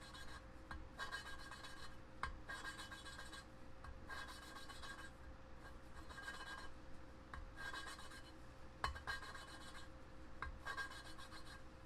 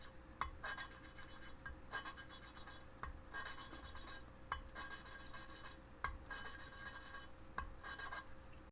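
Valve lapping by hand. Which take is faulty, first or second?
first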